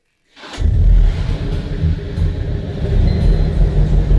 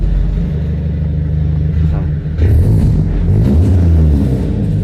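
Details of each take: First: BMW E46 Compact rescued from junkyard, about 300,000 on the clock, oil leaking at block, sporty exhaust fitted; engine starts into lumpy low idle with occasional sharp pops, still popping a little but runs well. Exhaust popping. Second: BMW E46 rescued from scrapyard, roughly 300,000 on the clock, black oil, with sporty exhaust fitted, still popping a little: engine picks up cleanly through throttle blips with an even, steady beat; runs well, normal running.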